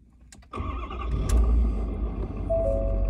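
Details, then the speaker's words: Ford Super Duty 6.7 diesel cold start at 56 degrees: catches at once, shifts through different tones while it reads outside temperature and sets the fuel-air mix, then mellows into a steady, even low rumble with no knocks or misses; normal cold start. "56 degrees today you can hear the truck engine kind of doing different tones what it's doing is it is reading and figuring out temperature outside it's trying to figure out you know um how much fuel to mix with the air"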